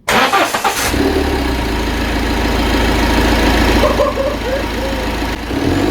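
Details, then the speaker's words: Citroën Berlingo HDi turbo diesel restarted after EGR and turbo cleaner spray caused a near runaway: a brief churn, then it catches and settles into a steady, even diesel clatter with no hunting or surging; running fine. "okay that that sounds okay I don't think she's dead"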